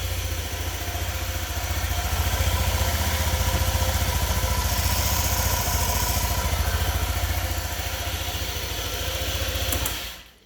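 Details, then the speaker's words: 2018 Honda PCX scooter, 1178 miles, first start after valve adjustment (intake and exhaust both found too tight, exhaust below minimum spec): quiet, even single-cylinder idle with no valve ticking; normal idle. "so I did adjust them let's see how it sounds [Applause] I think it sounds very quiet"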